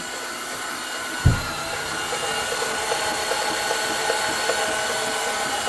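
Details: 2008 Dodge Charger 3.5 V6: steady, high, even whine over a loud constant roar, not rising or falling; something spinning whines, source unclear.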